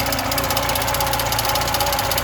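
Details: VAZ 2107 injector engine at idle: a fast, light metallic chatter and ticking under the hood over the engine note. The owner suspects the alternator bearing, not confirmed.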